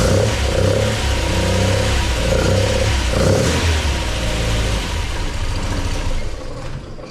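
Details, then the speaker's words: MGB with a newly installed Weber 45 DCOE carburettor (new jets, top off), first run with the engine cold. It catches and revs crisply several times, responding cleanly to the throttle, then settles; sounds strong and very responsive. "And it's very responsive. So, yeah, wow. That sounded really good, actually."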